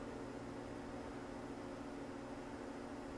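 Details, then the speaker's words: Magnum inverter/charger on a 48 V battery bank, back on AC power in absorb charging: steady, even cooling fan whir with a low hum and no rattle or scrape, normal fan operation. "back on with the AC absorb charging and here come the amps fans turning on"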